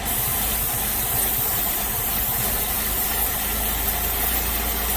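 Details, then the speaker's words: Ford Focus running rough with lean code P0171 and a suspected cracked airbox near the mass airflow sensor. Brake cleaner sprayed there smooths the idle under a faint hiss, and it will run rough again once the cleaner dries: vacuum leak. "Hear how smooth it is? Smooth right out. Now once the brake clean dries up, goes away, it'll start running like a bag of shit again."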